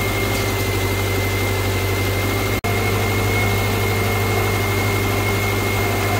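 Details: 2009 Subaru Outback at idle, first start after steering rack replacement with fresh fluid and the system bled: constant high whine that doesn't waver; the power steering pump is believed bad, staying loud even after bleeding.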